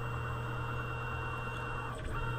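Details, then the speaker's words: Tormach mill, Z axis jogging before the Y-axis ball screw replacement: steady, even motor hum with constant low tone, no grinding or knocking; normal axis drive sound. "yep that's about what they sound like"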